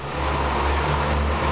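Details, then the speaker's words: 2008 Fiat Palio Weekend 1.4: belt had a pump or tensioner bearing-type noise with the tensioner at the factory setting; after slightly loosening it, the engine runs with a smooth even hum and no bearing noise. "afrouxei um pouquinho então não pressionou o rolamento da bomba o que que acontece parou de fazer o barulho"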